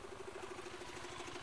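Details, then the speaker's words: Supra GTR 150 (K56 series) single-cylinder idling with a fast, steady mechanical clatter, the known "klotok-klotok" problem from the cam chain tensioner; a manually adjusted tensioner lifter was bought as the fix. "jadi yang dimaksud dengan penyakit klotok-klotok di K56 series itu kayak gini nih. Semua kedengeran ya. Dulu berisik."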